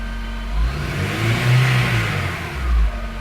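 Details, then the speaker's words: Honda Integra DC5 / Acura RSX base model, engine revved in neutral: faint whine that rises and falls with rpm, persisting after an alternator swap; traced to a worn A/C compressor bearing. "so I just want to explain the wine is actually it's related to the RPM so as I rub it higher it goes with the RPMs so there's the wine again if you can hear the whine of the revs go up"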